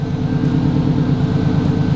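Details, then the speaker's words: 2004 Subaru WRX STI with a fresh Type RA short block, on a base tune with unequal-length headers. First-start idle near 205 degrees, fans kicked on, bleeding the cooling system. Steady, lumpy boxer burble with an even pulse and no knocks or ticks: normal idle. "it does sound pretty good okay I'll give you that it sounds good"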